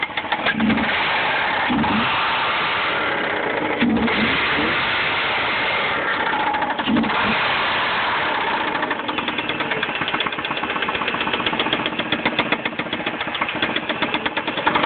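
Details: Mazda 6 engine cranks and catches, then settles into a rapid, hard knocking over the idle; suspected rod knock, not confirmed.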